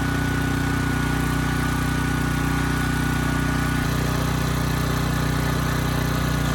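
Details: Briggs & Stratton Elite Series generator, model 030471-01, stored 5+ years, low-voltage (35 V) fault fixed to 120 V; steady, constant-pitch drone under 3000 W load with no hunting or misses; normal running under load.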